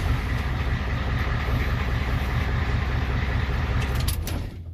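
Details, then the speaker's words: 1993 IDI diesel truck after turning up the injection pump fuel about 3 flats, sitting in the cab: steady, even low idle with no hunting or misfire before shutoff; runs noticeably stronger, normal idle. "but just sitting in the truck, the way it rocked, it night and day difference if you do this mod."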